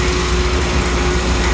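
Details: Rebuilt Kelly Duplex 3-ton horizontal paddle mixer, sprockets showing little wear: even mechanical drone with a light low throb and a faint steady tone, no knocking or grinding; running smoothly.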